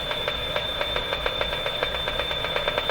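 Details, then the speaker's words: Canadian Westinghouse 981 shortwave radio during capacitor replacement, run on reduced voltage around 85 V: rapid regular ticking about four per second over a steady high whistle, resembling car ignition noise; local interference of unknown origin. "no idea what that is i mean it sounds like a car engine that sounds like ignition noise from a car engine"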